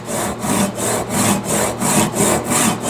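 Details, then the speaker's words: SUIZAN 7-inch Japanese Ryoba double-edge pull saw cutting wood without a vise, pressure off, wrist and forearm relaxed, after pressing too hard had made it bind: even, rhythmic, unbroken rasping strokes with no catching or chatter, the saw gliding cleanly. Smooth saw cut. "Take the pressure off, relax your wrist, relax your forearm, let the saw just glide. You can hear the difference in the sound of the cutting now that I did all of that."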